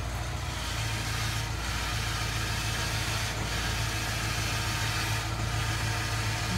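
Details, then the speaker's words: V8 idling with a lumpy low rumble and a faint steady whir on top: the noisy power steering pump whining at idle before a cruise. "oh listen to this power steering pump"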